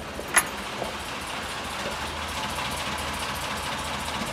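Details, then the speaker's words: Mk1 Ford Fiesta or Mk2 Escort on stands with all brakes removed, rear wheels spinning: steady even rumble, no once-per-turn noise it had before; owner suspects binding brakes, possibly an oddly worn handbrake pad. "doesn't do it anymore it was doing it every light full turn before so I would guess that something on the brakes is kind of binding or something"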